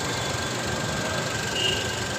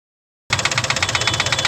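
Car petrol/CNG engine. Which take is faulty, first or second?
second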